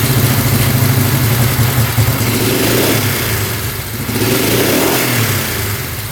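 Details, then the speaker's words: 1971 Honda CL350 twin, after sitting over 25 years, running on both cylinders but won't idle, revs swelling and sagging unevenly; lean on the pilot, fixed by turning each carb fuel screw out to two turns, then idling at 1500 rpm. "All right, it's still not wanting to idle. So, what we did was adjust the fuel screw out another turn on each carb."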